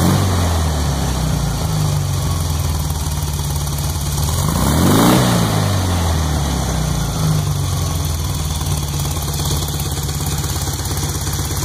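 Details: Startup after rebuild of a 1641cc engine: uneven idle with an irregular popping and knocking noise riding over it, worst around a quick rev; cause not yet identified.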